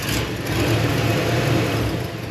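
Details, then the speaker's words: 1960s Corvette-content vintage Chevy engine ("Lucy") after a run-out-of-gas and tri-five radiator install: rough, uneven, wet stumbling idle with a dull rumble, carburetor grumbling and flooding out the vent; float suspected stuck again, possibly an incorrect float. "oh she's flooding again that g it well we still have the carburetor grumbling going on the float must have got stuck again and it started flooding again out the vent"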